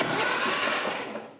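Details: 1968 Datsun 520 pickup, long-parked in woods, very low black oil with no metal in it, hot-wired: brief, even starter whir turning the engine over without catching, no binding or clunks; cranking sounds healthy.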